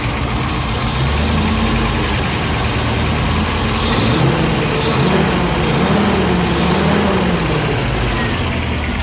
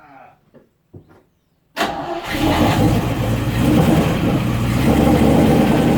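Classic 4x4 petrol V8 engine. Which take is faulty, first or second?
second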